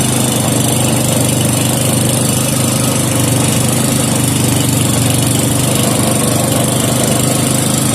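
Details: 5hp Briggs and Stratton with gear reduction, air-fuel mixture screw just adjusted, running to warm the engine: steady even constant low drone, no misses or knocks, carburetor running clean; normal running.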